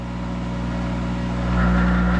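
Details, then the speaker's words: Monarch 10ee lathe electronic drive, speed compensation trim pot being adjusted by screwdriver: steady low motor hum that rises and swells as speed climbs; spindle surging because compensation set too high, being backed down. "see it's climbing now it's surging when you see one of these do that sir the compensation's too high so I'm gonna back it down"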